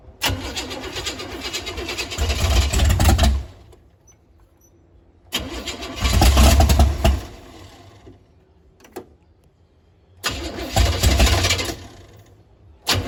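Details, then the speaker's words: 468 big-block Chevy V8 in a Nova, cranking on starting fluid and 87 octane though set up for 93/race gas: three long cranking bursts with pops and chuffs, no catch; no start from over-advanced timing, later retarded. "as popping, but it was too advanced or [ __ ] I think that weighs advance back. So, we just had to pull it back a little bit and it wasn't turned over so hard. It wasn't firing at the right time."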